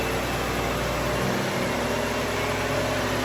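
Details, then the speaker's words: 2009 BMW 328i with stored codes for electric water pump shut off and speed difference, before replacing the water pump and thermostat. A loud, steady rushing roar of the cooling fans stuck at full speed in failsafe covers the idle. "fans are running at a full speed all right I'm going to shut this [Music] off"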